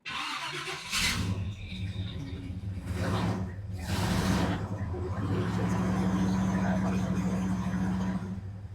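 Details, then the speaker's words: 1970 Chevrolet Camaro SS 350 V8 revived after long storage, first start: starter cranks a few seconds, then catches and settles straight into a steady, even idle despite fuel leaking at the carburettor bowl and accelerator pump. "Right to idling too. Huh. Weird. Very weird. All right, guys, we're running. Went right to idling."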